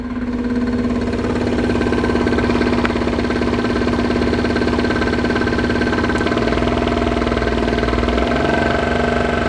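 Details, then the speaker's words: RB25-swapped Datsun 240Z at idle, mic next to engine block: loose, uneven knock about three per second under the drone; owner suspects a spun bearing or snapped connecting rod, not confirmed. "All right, so now on to the not so good stuff. So I don't know if this car has a spun bearing or a connecting rod snapped."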